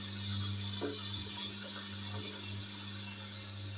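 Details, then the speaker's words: Dough mixer reduction gearbox after repair, once worn bearings had left metal shavings and sludge in the oil; the old unit got louder under load. Now a steady low hum holds an even pitch, unchanged when loaded by hand. Normal gearbox. "я зупиняю рукою звук не міняється А коли я попередній раз це робив то звук конкретно мінявся"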